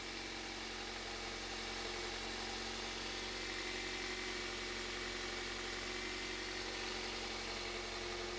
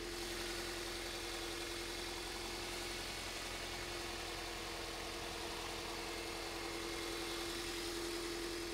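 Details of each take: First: 2001 Toyota Avensis after replacing the failed ignition coil: quiet, even idle with a light steady hum and hiss, no stumble or misfire, waveform looks okay and car runs a million times better; normal idle after repair. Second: 2001 Toyota Avensis, owner reported bubbling noise, idling: steady hum with an uneven, slightly lumpy beat; scope shows cylinder four coil giving absolutely nothing, one cylinder dead from failed ignition coil; misfire at idle.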